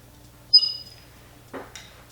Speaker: This iron is a little annoying because you can hear that it squeaks. I don't know why it squeaks, but it is freaking annoying.